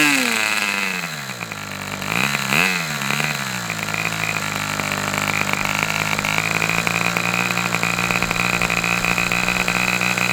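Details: Customer's Fox twin-cylinder glow engine on probably its final run of the day, outdoors as it cools off: a rev dip and recovery, then a steady high buzzing drone at even pitch; both cylinders firing cleanly, healthy run.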